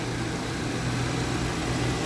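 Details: Toyota Avanza during an engine flush before an oil change at 4,000 on the odometer, coolant 58 and engine 57 degrees, mic near the engine: steady low idle hum, even and unchanging with faint fan whir; runs smooth and healthy.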